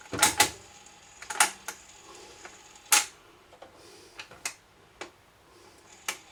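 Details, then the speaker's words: Garrard SP25 Mk4 turntable after cleaning, motor part still to be reglued: scattered sharp clicks and clacks at no steady pace as the mechanism cycles; doesn't sound right, cause unconfirmed. "Yeah. Well, that sounds a bit naughty. Doesn't sound right."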